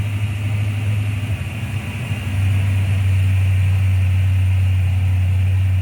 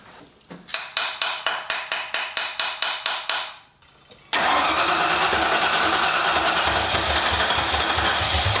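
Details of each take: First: 1995 Ford Mustang GT, Ford 302 V8, after swapping in a new manifold, rebuilt carb, fuel pump and gas tank; a loose plug was found and timing set. Briefly lumpy, then a steady, deep, even V8 idle firing on all 8 cylinders. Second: 1995 Ford Mustang GT, 302 V8 after a carburetor swap with a new manifold, fuel pump and tank: about a dozen even cranks, then a loud unsteady idle. Fuel pressure exceeds the 4–7 PSI spec and overloads the carb; a return line is needed.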